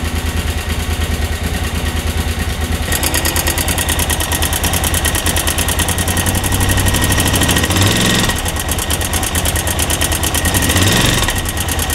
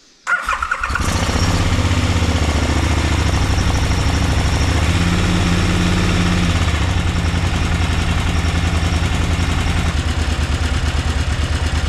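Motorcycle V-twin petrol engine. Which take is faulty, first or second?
first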